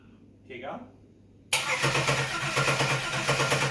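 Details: Holden VX Calais just after engine reinstallation, battery fitted: quiet, then steady starter cranking with even pulses that never catches; cranks but won't start, fuel pump not heard priming when key turned on.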